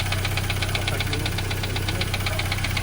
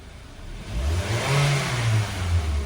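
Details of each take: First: Mitsubishi Xpander noisy right after an oil change, idling: a steady light ticking at about four per second, timing chain slapping; very thick oil, possibly gear oil, was put in instead of the correct oil, and it will be drained. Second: Mitsubishi Xpander revving (3.5 L oil capacity): smooth, even climb with no ticking or rattle; the timing chain noise is gone, the oil was the problem.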